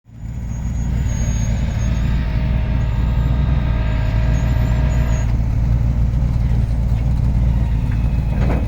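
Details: 1989 Lincoln Town Car at idle: loud, deep rumble with raw puffing throb at low revs, no clean muffled note; exhaust leak needing repair.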